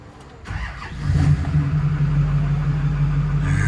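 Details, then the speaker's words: Newly built SoCal Diesel twin-turbo 1,000hp Duramax first fire-up after fixing a no-start problem: brief crank, quick catch, steady even diesel rumble with no knocks or misses. "oh yeah she sounds [ __ ] good I tell you that"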